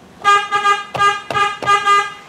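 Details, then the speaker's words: Toyota Vios Gen 3 at final inspection after upgrade and modification work, horn tested after the dash indicators; several short honks with a bright, steady two-tone pitch, each blast clean and strong, so the horn works properly. "Klakson udah bunyi, berarti udah aman ya."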